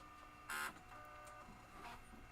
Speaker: noisy hard drive no we got a cursor and this mouse is does [Music] nothing wow listen to that hard drive